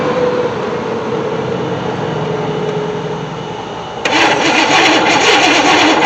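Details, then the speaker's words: 1964 Chevy Impala SS convertible, sat 35 years in a shed: starter churns about four times a second, then a rougher burst, but never runs; no spark from coil despite power, ground or coil suspected; crank no start. "got no spark coming from our coil I know the coil or I know we got power I don't really understand maybe I'm not getting a good ground"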